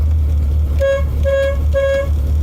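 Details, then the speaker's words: 1987 Chevy Corvette C4 at low idle: three short honks, each a single thin high note, only one horn working; the dead horn feels very warm, shorted internally, while the working one is cool. "So right now on my car, I just have the one working horn. So it sounds kind of wimpy because it's kind of the higher note, because like, hink, it sounds kind of like an import car."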